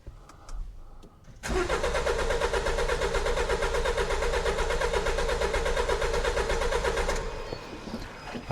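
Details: 2015 Jaguar XE Ingenium diesel non-runner, scope and pressure transducer on cylinder 2; starter cranks steadily about two beats a second for six seconds, never catches. Suspected seized or blocked injectors or internal mechanical fault. Crank no start.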